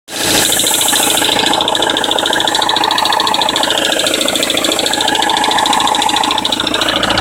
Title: BMW E90 320d M47 rattle noise cold start